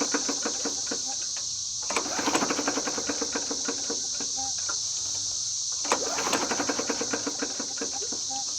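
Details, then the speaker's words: Huskee 22-inch push mower, in poor, muddy condition, being pull-started: quick even ticking and clatter with a thin whine, engine never catches; suspected rod knock, not confirmed. "that sounds like a knock like a rod knock might have to"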